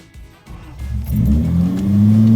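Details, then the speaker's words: Datsun 280Z restarted after a drive and parking following recent fixes. The engine catches and climbs straight to a high, steady rev, way over idle, instead of settling. "Way over idle. Pull back, please."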